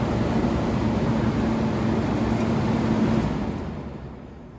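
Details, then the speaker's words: Vintage QM (Comfort Aire) air conditioner, compressor restarting soon after thermostat satisfied on high cool: even roar sags and dies to silence; the compressor restart trips the breaker. "satisfied and there we go we just tripped a breaker whoops there's a blooper"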